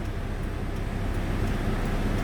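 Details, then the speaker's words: Mitsubishi Galant Shark automatic, idling around 1,000 rpm: the idle swells and hangs high when the air conditioning is switched on. "Bumagsak siya. Aircon tayo. Pumalo pataas"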